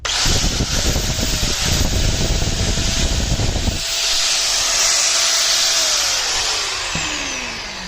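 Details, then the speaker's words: Bosch/Hitachi 4-inch angle grinder after repair of an internally broken, cut power wire that was trimmed and reconnected: steady high motor whine runs up evenly, holds smooth and winds down cleanly; grinder now working normally. "दोस्तों ये तो ठीक हो गया। इसका यही मसला था वायर का, इसकी वायर कहीं से कट गई थी, तो जब हमने उधर से उसको काट के दोबारा लगाया तो वायर हमारी बिल्कुल ठीक हो गई और ग्राइंडर हमारा ठीक काम कर रहा है।"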